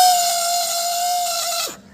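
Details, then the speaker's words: SS 125cc motorcycle self-starter: harsh, high buzzing whine dropping sharply in pitch as it cuts off. Worn internal starter motor bushing causing play; starter motor replaced. "इसमें क्या होता अंदर का बुचिंग वो खराब हो जाता है। फिर प्ले आ जाता है। इसलिए इसका स्टार्टर का साउंड चालू हो जाता है। ये साउंड नहीं आना चाहिए था।"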